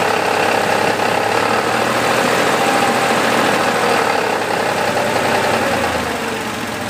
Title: Porsche 3.2 strange engine noise.